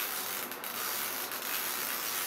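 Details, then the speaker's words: Mirage Sun toy film camera, lever raised and turned clockwise after pressing bottom rewind button: fine, fast, steady ratcheting clicks as the film rewinds; normal rewind noise. "Vai fazer esse barulhinho mesmo, para vocês verem como que é lá dentro. Eu vou rebobinando e vai voltando assim o filme."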